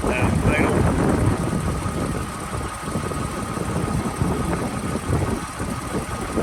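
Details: One-owner 2007 Toyota Avalon XLS with 167,000 miles, recorded at idle under the open hood: quiet, even idle under wind and room noise, no knocks or ticks standing out; the engine sounds healthy.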